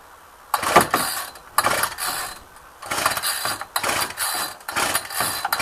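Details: Ryobi string trimmer, unrun two weeks, cold 8-9 degree day, long string fitted: about six quick pull-cord rasps with only a brief catch, no sustained running; owner suspected long string, actual fix was carburettor adjustment.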